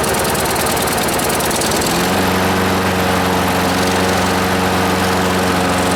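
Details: Small engine running on choke bogs to a labouring beat and won't rev up; owner suspects debris on the governor under the shroud.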